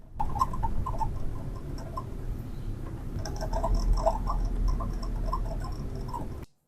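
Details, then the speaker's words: Toyota HiAce driving: quick mid-pitched chirping squeaks over road rumble, heard behind the driver's ear on the right side; passenger side was quiet. "キュルキュル音。運転席に座ってると耳元の後ろで鳴ってるから、耳障りだよね。"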